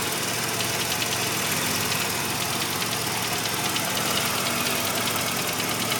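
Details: 1985 Mazda RX-7 rotary at warm idle; dense, fast steady knocking, only occurs once warmed up; owner hopes it is a pulley; cause unknown.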